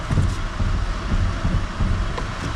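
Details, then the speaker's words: 2013 Mercedes Vito diesel van after a new Schaeffler alternator OAP pulley and aux belt, steering turned to full lock: steady low diesel idle, even throb, no squeaking from the belt; belt drive healthy. "right hand down down no more squeaking whatsoever and that is it"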